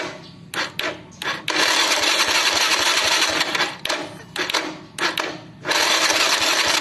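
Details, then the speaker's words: Honda Legenda/Grand/Supra 110 motorcycle electric starter: short bursts of harsh, rattly cranking ("ckckck") instead of a clean spin. The starter motor is suspected as the cause and is being opened up; the housing is worn, loose and dry. "ini magnetnya ini sebagai kekasih guys biasanya di sini ya menyebabkan bunyi kasar"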